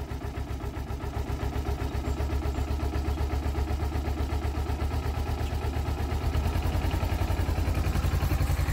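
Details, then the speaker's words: Kawasaki Ninja 250R parallel twin, cold start at about 1.5°C with the engine and exhaust near 1°C, started without choke; a low, even putter that firms up as it warms. The cold idle is slower but smooth and regular, and the engine is healthy. "There you go. Now, obviously, it idles slower because it's cold. You can put a little bit of choke or just wait for it to warm up."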